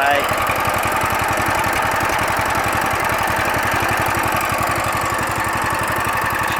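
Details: Coleman trail bike with a 6.5 HP overhead-valve engine, used only three or four times: the engine ticks over at a quick, even beat with no knocks or misses. Healthy idle.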